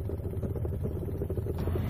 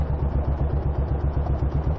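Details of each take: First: Royal Enfield Bullet single under way after a misfire was fixed by moving the clutch cable off the HT lead at the coil: steady, even firing pulses with no misses; running cleanly. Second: Royal Enfield Bullet single, ridden off the motorway at a junction: heavy low thudding knock about six times a second under the engine note, less bad under load; owner suspects big end or little end, leaning big end.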